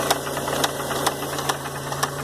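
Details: 1993 Oldsmobile Cutlass Supreme at idle: steady hum with a sharp metallic tap about twice a second, owner unsure of source, possibly near the pulleys/power steering pulley or the rods. Engine knock at idle.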